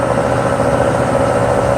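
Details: Mercedes 600SEL warming up at idle, up on a lift, with the transmission just installed: a constant mid-pitched whine rides over the engine, unchanging in pitch. Possibly an accessory such as the water pump; not confirmed.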